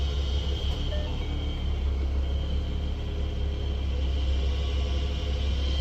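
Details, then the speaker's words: 2013 Ford Mustang (S197) HVAC blower under the glove box: loud steady low rumble with a thin constant whine, no speed change; owner suspects the blower motor is going bad. "Air conditioning blower, I think, is going bad. You can hear it, it's super loud."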